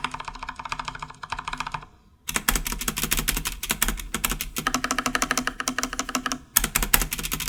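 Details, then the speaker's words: Stock Corsair K70 mechanical keyboard typing: loose, dry rattle on long keys from cheap, dry, scratchy unlubricated stabilizers that bind, versus solid tone of lubed, modified Cherry stabilizers. "can instantly hear the rattle on the cheap stabilizers they are dry scratchy and easily bind if you catch the key at a weird angle the rattle from the stabilizer bars is audible annoying and a sign of a problem waiting to happen"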